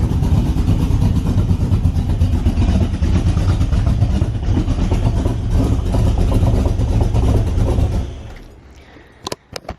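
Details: AC Cobra with a cam and a large muffler on a cold start: a deep, even, lumpy V8 rumble, then a clean shutoff. Normal cold start and idle.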